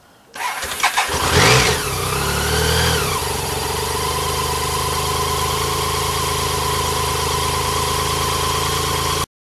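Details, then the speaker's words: 1987 BMW K75 started completely cold without choke: short crank, quick catch, one blip of revs, then a steady, even idle with no misses; healthy cold start. "I ought to prove that the bike runs up quite completely cold I won't be using a choke and I'll just start it up"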